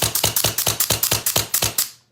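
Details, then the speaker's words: Autococker paintball marker after timing and raising LPR pressure in quarter turns: about nine quick, dull, evenly spaced pops with no feed-neck slap; air now goes through the bolt down the barrel, firing correctly. "so right there is what you want. So it's that more muffled sound, which means that your air is going through the bolt and it's getting, pushed down the barrel instead of coming out your feed neck."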